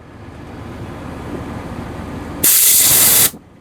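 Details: Shuttlewagon 6030 railcar mover air valve (couplers, sanders, air knives, horn), air line unhooked, front air coupler commanded: quiet, then sharp air blast under a second stopping cleanly; normal discharge, valve vents only on command.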